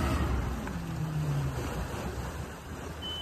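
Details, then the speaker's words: Jasper 4.3 marine engine in a test tank, revved to about 2,000 RPM then throttle chopped; revs fall and it dies instead of idling. Accelerator pump is struggling, and the carburetor needs a rebuild. "and it died that's a carburetor carburetor needs rebuilt"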